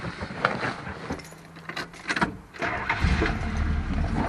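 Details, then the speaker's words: 1977 Chrysler Town & Country station wagon with thermoquad carburetor, not yet run that day: brief cranking, catches within a few seconds and settles into a steady, even cold idle; a healthy cold start, slight exhaust leak audible. "fires right up. It's still cold. I I haven't run it at all, but there you can see the fuel gauge works."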